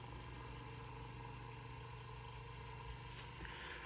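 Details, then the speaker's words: Electric fan that won't self-start unless pushed, even with a new capacitor, without a capacitor, and after oiling: steady low motor hum with a faint rhythmic ripple once spun; cause unknown. "all right so can somebody explain to me why the [ __ ] this thing right here won't run unless you Kickstart"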